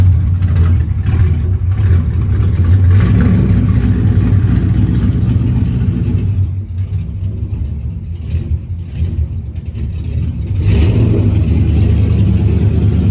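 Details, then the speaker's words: 1991 Chevrolet Camaro after dropping fuel tank to fix long-running fuel pressure issue, now getting fuel pressure: engine pulls up smoothly through rev blips and settles back evenly, no misses or knocks; normal running, best it has run. "lo and behold after everything was said and done I'm getting fuel pressure um it the car is running the best I've ever had it running"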